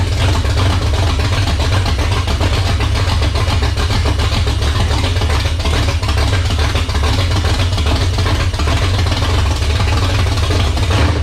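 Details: 1978 Dodge Warlock truck, 360 small-block stroker on its first start with idle turned up: deep, even V8 rumble with a steady beat, no knocks or ticks. Runs healthy, 75 psi oil pressure at idle from a high-volume pump and over 80 revving.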